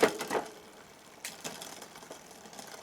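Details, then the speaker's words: Neglected Specialized Rockhopper mountain bike during rebuild, rear shifted to top cog, cranks turned: a few sharp clicks, then faint irregular light tapping from the chain brushing the front derailleur; to be fixed by adjusting the front derailleur. "Ticking noise is actually coming from the front derilla."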